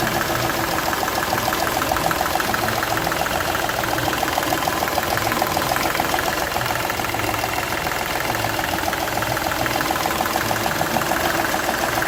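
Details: Seat Ibiza 1.2 TDI diesel at idle with a rough, uneven ticking chuff three or four times a second over the clatter; compression escaping from cylinder one past a burnt injector seal.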